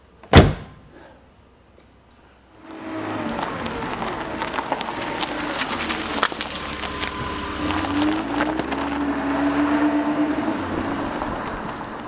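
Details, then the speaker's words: Older Mercedes car door closing after extensive lubrication. One solid, clean thunk as it latches firmly with no rattle or scrape, as a Mercedes door should close. "and I pull on the door pull and once again this is how a Mercedes door should close"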